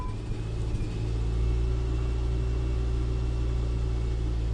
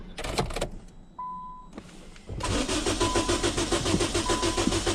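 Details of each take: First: Car with an intermittent no-start, after the fuel pump is heard priming: brief cranking, then the engine catches and settles into a smooth, steady low rumble with no misfire; normal start and idle. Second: No-start vehicle with a jump starter connected; a short beep, then about four seconds of even cranking near three and a half turns a second, never firing.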